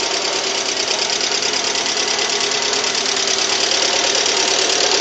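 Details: 2007 Lada Priora 21126 engine, unknown mileage, after overhaul for bent valves with new 82.5 mm pistons, compression 14 atm all cylinders, cracked coil history: sharp metallic knock about three a second cold or hot; suspected lifters or pistons.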